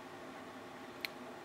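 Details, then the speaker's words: TV power supply with 219–220 V AC confirmed at its input: a single sharp tick in a quiet room as it is plugged into the mains and contact is made, the inrush click or small spark; the supply seems to switch on and off. "Y a veces se puede llegar a escuchar. Al conectar esto, la carga, bueno, la corriente o un pequeño chisporroteo cuando hace contacto,"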